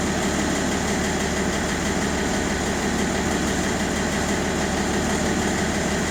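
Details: BMW 530d E60 with the M57N diesel, at idle: fast, rough tapping running through the diesel clatter at a steady rate; knocking of unknown source.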